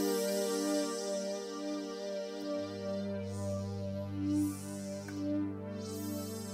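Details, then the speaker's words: 1984 Roland Juno-106 after voice chip epoxy repair, reassembled and powered up, portamento on: clean sustained chords with a deep bass note entering, no dropouts or distortion; every voice sounds normal, repair appears complete. "Isn’t this finished? I think it's completely fixed. It's so good!"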